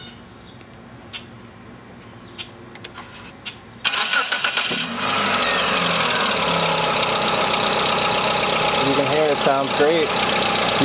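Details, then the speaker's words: 2000 Mitsubishi Galant SOHC 4G64 a week after valve cover gasket replacement, remote start: brief crank then smooth even idle, lifter tick gone, possibly caused by air leaking through old hardened gasket; normal idle. "lately my engine is a lot quieter and I don't have the lifter tick"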